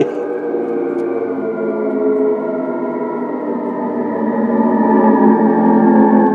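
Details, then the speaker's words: Mattel Optigan Model 35011 organ after preamp repair, power amp unfixed, one channel, pedal down, reverb off, balance to right: steady low eerie drone with no keys pressed; suspected signal bleeding into the never-working second channel. "now I'm not sure because the second channel was never working I've never to do that for so it sounds like something is bleeding"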